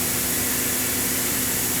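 Constant airy whoosh with a steady hum underneath, no knocks or scraping; the spin rinse dryer is spinning normally.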